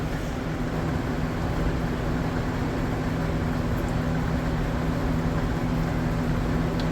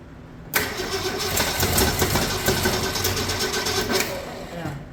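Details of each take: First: 1965 Mercury Comet Caliente, not run in 10 years, run on fuel fed into the carburetor after its timing was retarded slightly; steady, even rumble with no knocks, clatter, banging or hammering, so the engine is judged probably good. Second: 1965 Mercury Comet Caliente, not run in 10 years, run on fuel spritzed into the carburetor with no fuel system; it catches and runs with a lumpy, stumbling beat and no steady idle, so rough running from ignition timing that is off.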